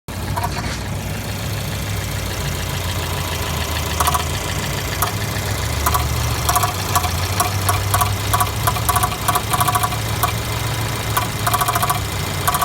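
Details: Jeep Renegade 1.4L turbo: sharp repeated ticking knocks from about four seconds in over a steady idle hum; occurs all the time and the dealer could not identify the cause.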